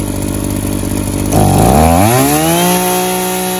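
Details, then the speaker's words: Echo SRM-280 string trimmer run without an air filter, low compression, heavy dirt ingestion, after intake gasket and carburetor refit: buzzy two-stroke revs sharply then settles to an uneven, slightly rough idle; worn engine running rough. "well guys it don't run too bad for the amount of abuse that this poor trimmer has been subject to"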